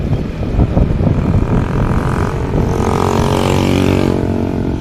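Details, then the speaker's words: Yamaha NMAX scooter after replacing the primary driving gear and its bearing. The transmission noise that appeared from about 20 km/h and faded by 40–50 km/h is gone. It now pulls smoothly with a steady engine drone and no gear whine. "All goods na. Wala na yung ingay."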